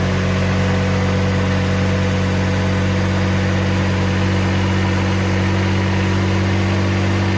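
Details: 2014 Kubota ZD221Z diesel zero-turn mower after sitting six months: steady, even idle with a smooth low throb and no knocks or misses.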